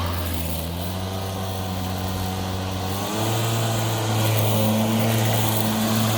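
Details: Milwaukee cordless lawn mower that shuts off seconds after starting, held with pressure on the clip as a temporary fix: steady even motor hum firming partway, no cutting out; owner suspects the clip or something beneath it.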